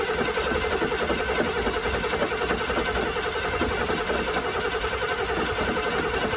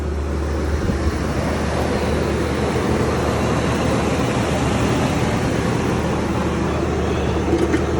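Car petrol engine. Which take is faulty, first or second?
first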